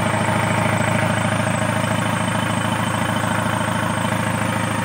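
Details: Kia K2500 D4CB diesel after a crank no start / hard start, fixed after work on the pressure pump timing: steady clatter at an even beat, about two to three a second, no stumbling or hunting; normal idle.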